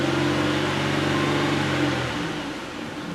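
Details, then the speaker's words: Pontiac Aztek towed in for shaking/misfire, after ignition wiring repair, idling in gear: steady, even low hum with no stumble. No misfire; a crankshaft variation relearn may be needed. "it's not really misfiring there's there's no misfire there"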